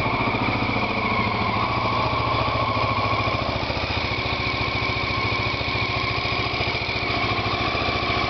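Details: Honda XL600R engine first start after rebuild: big single thumping at a steady, even idle, about three and a half beats a second, no knocks or rattles; healthy.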